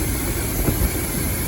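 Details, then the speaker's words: 2006 Dodge Ram 1500 Mega Cab running after a fuel pump replacement that didn't fix the problem: a low, uneven rumble with irregular lumps and stumbles, running rough, with an unidentified sparking also heard somewhere. "Running like crap right now. Thought maybe if I pulled the light away I could see. Yeah, it's running like crap."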